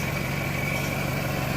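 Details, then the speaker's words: 1998 Toyota Camry running after repair of a failed water pump bearing that took out the timing belt: a steady, even idle with a smooth low hum and no knocks, ticks or misses. Recorded on a phone. Engine sounds healthy. "and it's actually, you know, pretty stout little setup there. It runs good. I'm going to start it up here."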